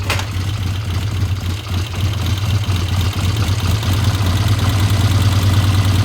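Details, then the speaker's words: 1972 Triumph TR6 vintage British motorcycle on a test ride after repair, cold before warm-up: a low idle with an uneven, slightly lumpy beat; it runs a bit rough, and the owner suspects it may just be slow to warm up. "it sounds a little rough let's get it out there and get it warmed up"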